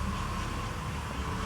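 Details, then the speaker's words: 1997 Cadillac DeVille V8 at idle after startup with random misfire code P0300: low, uneven idle with an occasional stumble and fluctuating RPM; it also stalls, hesitates and backfires through the intake. "now maybe you can hear the engine kind of missing every now and then you can see the engine RPM fluctuating"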